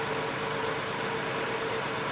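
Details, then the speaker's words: 2015 BMW 7 Series with rebuilt engine after overheating, warm idle with irregular stumbles; hard misfire on cylinder six, running rich and sometimes not burning; suspected secondary ignition fault in plug or aftermarket coil. "all right so now the vehicle kind of went into a hard misfire and red is cylinder two blue is uh six still as you can see that swoop kind of came back looks like it's running rich and not burning all the way and sometimes it's not burning at all"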